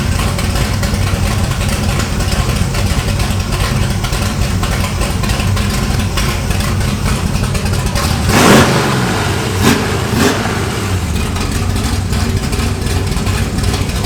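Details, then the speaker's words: 1968 Camaro V8 with exhaust cutouts open, back on the road after 5 years: loud, lumpy idle, then quick blips that rise and fall cleanly; healthy, crisp and responsive. "does sound pretty good with the cutouts open. If you open the cutouts, it gets real responsive. Does it really? It revs up a lot."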